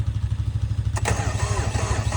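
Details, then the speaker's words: Kubota BX2230 tractor, 3-cylinder D902 diesel, cold start: the starter cranks slowly in a heavy, labored rhythm and the engine doesn't catch between glow-plug cycles; the owner suspects weak glow plugs, as it used to start even at -30°F. "oh kind over slow though go ahead and hit him again just turned the key a little bit like halfway to cycle those coal plugs"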